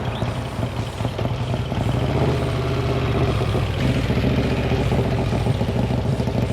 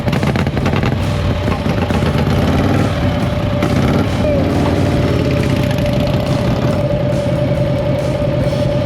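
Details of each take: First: 1956 Harley-Davidson FLH Panhead idling after a top-end rebuild; loose metallic clatter over the lumpy V-twin exhaust beat, suspected from a loose muffler whose clamp was likely fitted the wrong way round. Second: Panhead V-twin motorcycle restarted at the gas station after running out of fuel; loud, steady V-twin beat running evenly for several seconds before cutting off, running normally once it has fuel.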